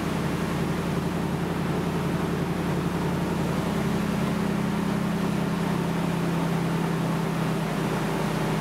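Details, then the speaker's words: Dodge Ram V8 after basic service with 16 new spark plugs and an original-style air filter, exhaust not yet done: steady even burble, smooth low hum, no ticks or knocks; sounds quieter, credited to the filter. Normal running. "i think it sounds quieter and i think that will be because of the cannon filter having an original filter um will make it quieter"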